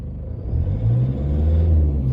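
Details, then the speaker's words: 2014 Toyota Hilux diesel with 47k on it, revved in neutral. A deep, rough rumble carries a hard, hammering, tappy knock on acceleration. Suspected to be one faulty injector. "it's one injector all right sounds like the one injector not quite right kind of tappy noise it's like a Taffy noise to best explain"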